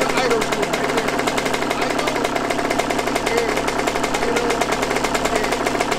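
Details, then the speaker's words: Yamaha YZ125 two-stroke, not yet warmed up at about 20 degrees outside, during carb air screw and idle tuning: rapid, uneven crackling buzz never settling into a clean idle; still rough, owner blames carburetor after he touched it. "i knew it was something with this carburetor though cause i touched it like i touched the car right i touched the carburetor and she was acting weird after that"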